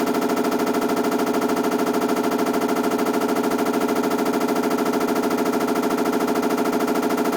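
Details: Washing machine BW-D8HV: rapid, very even banging about three hits a second, unchanged throughout; abnormal knocking inside the washer, cause not yet found.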